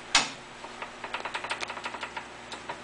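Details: Briggs & Stratton ZH engine, partly disassembled and dry, hand-cranked slowly without running; a string of light uneven clicks from backlash in the cam and governor gears; owner assumes it's normal and oil will quiet it, not confirmed.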